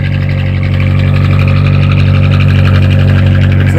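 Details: Atomic 4 inboard boat engine running at 40–45 psi oil pressure with temperature rising; a deep, steady, even rumble with no misses or knocks. It sounds much better, though a gasket still needs replacing.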